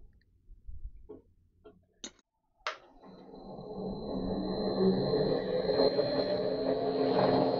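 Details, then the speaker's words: Colchester Student lathe after re-sleeving the pulley and refitting the motor. A few clicks, then it spins up with a rising whine over a low, steady rumble. The rumble comes from the clutch bearings, a long-standing problem, not the motor. Worn clutch bearing rumble. "Incidentally, that rumbly you hear there is nothing to do with the motor. It's the bearings on the clutch, and that's been a problem for some time."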